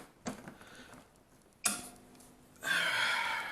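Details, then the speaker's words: APC Smart-UPS rack-mount unit after battery replacement, power-up on 16 A plug: sharp single relay clunk, then steady rushing fan comes up and holds; reports full battery; healthy. "resounding clunk and the fans on which is good I'm reporting a full battery which is even better"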